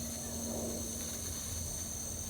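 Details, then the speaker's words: EZ-Wok high-heat burner with a 0-30 psi regulator, line pressurized and leak-checked: the right-side pilot valve is opened, giving a steady, even gas hiss with no sputter. Fuel flows normally to the pilot. "what we're going to Simply do is open up the pilot valve that's on the right side and you'll hear the uh fuel flowing you hear that"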